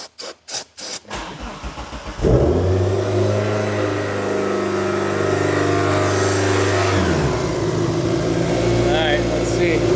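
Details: Mitsubishi Eclipse GSX after fuel-system work with larger injectors. Cranks, catches and settles into a fast idle that sags slightly; owner notes vacuum leaks, and oil is leaking at the head gasket.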